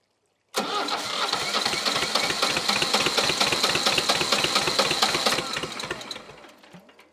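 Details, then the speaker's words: Old Shibaura diesel tractor that sat for years, after tightening fuel lines to stop an air leak: it starts on its own without ether and runs rough and uneven for a few seconds as throttle is added. "Yeah, she's doing all that on her own. I'm not spraying anything this time."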